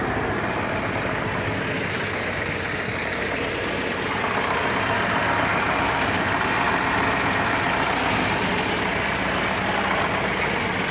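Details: D-65 diesel engine: loud, rough clatter with an uneven knock at about four per second; the injection pump (TNVD) is implicated in the knock, but the cause is not confirmed.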